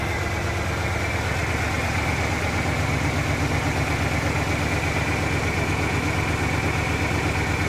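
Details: 1997 Ford Ranger pickup with new fuel pump idles with an uneven, lumpy, wavering beat instead of running smooth; rough idle.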